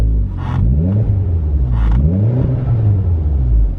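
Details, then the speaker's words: Mitsubishi Evo X at first startup after swapping an HKS blow-off valve for an ARC one, vacuum about 8–10: deep, even idle with two clean rev blips, no misses or rattles; sounds much like with the HKS. "Sounds pretty much like the HKS, to be honest."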